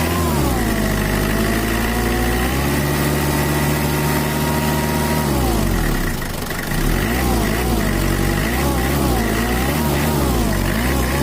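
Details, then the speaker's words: Mitsubishi Kuda diesel 4D56 after repair of a rough, limping idle with low power and an oil leak, set back to standard: a steady, even idle with a brief rev, sounding normal. "oke udah normal ya Rul untuk mesinnya sudah standart lagi dari suaranya bisa enak udah enak didengar dan juga mantaplah"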